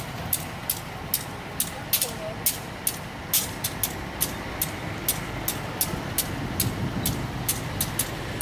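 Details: Diesel locomotive at a station crossing, heard as it pulls out slowly: sharp regular clicks about twice a second over a low diesel rumble; not wheel damage, reportedly its normal engine sound.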